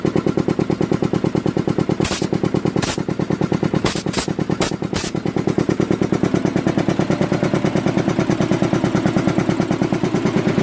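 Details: Rebuilt Canadian-made Devair 447 four-cylinder two-stage compressor pump, converted to a single-phase 10hp 240V motor: fast, even, steady thumping, no knocks or missed beats, running normally. One motor bolt is missing and the 8 in mounting plate flexes.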